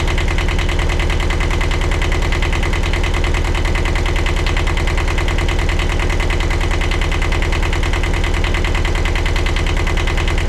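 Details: 1982 Catalina 30 marine diesel after replacing the blocked exhaust manifold, refitting thermostat and water pump: steady clatter at an even idle, about two beats a second, no stumbles or misses; normal idle.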